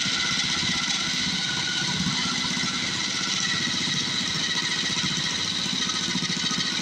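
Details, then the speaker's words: Cheap second-hand small-engine mini bike just started on choke and warming up, choke taken off too soon: quick, even putter with a steady buzzy exhaust note and no knocks or misses, running normally. "All right. I shouldn't have taken the choke off so quick. Let it warm up. It's going to be a good running little bike, I think."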